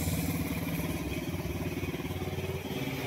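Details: Honda Wave 125 after crankshaft replacement for a failed connecting rod that had caused a grinding-like noise. It now has a steady, even low putter at idle with no knocking or clatter, running quietly. Normal idle.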